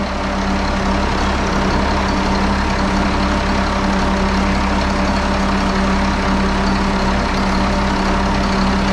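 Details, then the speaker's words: 1974 Allis Chalmers 7080 diesel tractor, started after fuel line replacement and injector bleeding, before leak test: steady, even deep diesel idle, unchanging, no knocks or misses; normal idle. "You hear that? That's the sound of success. Listen to that big girl purr."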